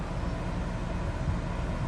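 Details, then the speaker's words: Truma Aventa roof air conditioner on a towable RV, fan-only mode at low-to-mid speed: a steady, quiet low whoosh of air with no rattle, squeal or tick, putting out a fair amount of air; normal operation. "So fan speed low, or a mid. Let's listen to that. That is pleasant. It's putting out a fair amount of air,"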